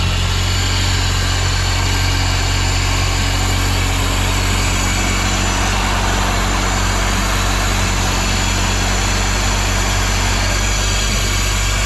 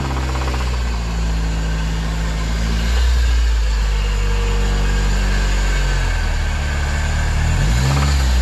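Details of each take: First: Honda EG hatch with a turbo K24 swap, reinstalled after a spun bearing, on a 92° day: a smooth, even idle with a constant deep hum and no knocks or ticks over thirteen seconds. Normal, healthy idle. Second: Honda K24 turbo-swapped EG hatch with spun bearing, oil pressure dropped to 14 psi at wide-open throttle above 8,000 rpm: light rev produces deep steady knocking about four times a second rising with throttle; suspected rod knock.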